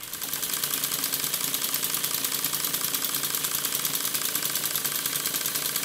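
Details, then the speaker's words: Stuart S50 model steam engine running on compressed air on the bench: quick, regular exhaust chuffs about two a second, with a light knock on each stroke. The knock comes from guide bars not tight enough on the crosshead. "the knocking noise you can hear is because the guide bars are not tight enough on the crosshead once again as i showed in the previous episode"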